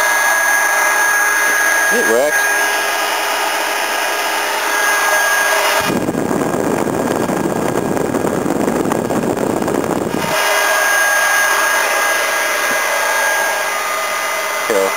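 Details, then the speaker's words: Newly bought electric radiator fan mounted on the cleaned radiator of a Volvo, bench-tested before fitting in the car; a steady, even rush of air with no rubbing, ticking or rattle; normal electric radiator fan operation. "I've done the condenser coil too but uh let's give this a so-called bench test before I put it in the car"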